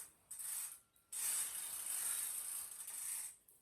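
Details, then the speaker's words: Gammill Classic Plus longarm quilting machine: light, rapid ratchet clicking in steady runs with brief pauses while winding up the bottom leader bar after loading the quilt; normal winding ratchet, nothing wrong. "I'm doing now is just winding up the bottom leader bar. You can hear that clicking noise. That's just it winding up."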